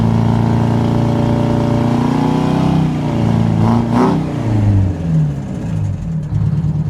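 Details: Detroit 8V-71 two-stroke diesel in a 1969 International 400 dump truck, running after a fix for a cracked flywheel housing that broke the starter mount, injector rack checked after a runaway: strong even drone rising with a rev, then settling steady; healthy.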